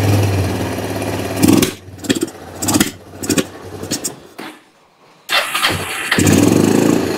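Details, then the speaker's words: Kawasaki Bayou 300 ATV with aftermarket carburetor after sitting two years; single-cylinder fires, stumbles, surges unevenly, dies briefly and catches again while idle is adjusted; intake boot crack or sticky intake valve suspected. "I'm gonna turn this knob down here to control the idle by the hair it ain't running good but it's running"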